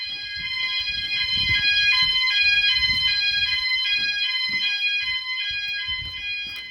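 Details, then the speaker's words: E.M.S. FirePoint 5004 fire alarm system in a house, triggered by a test fire/smoke: several shrill layered tones pulsing about three times a second as more sounders join, alarm working as it should. "that started and then you can hear the other ones have started in the background [Music] all the other Sounders are going off as well"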